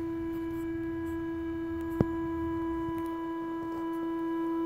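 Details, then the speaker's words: WorkBee CNC router, Teknic ClearPath servo on the Y axis holding position after a jog, tuning near the default of about 19: steady pure hum around 330 Hz with overtones and one tick, motor working harder; fixed by tuning fully to quietness. "so the motors I guess it's trying to work a little harder to hold position but it's it's also making some noise right so that's not desirable"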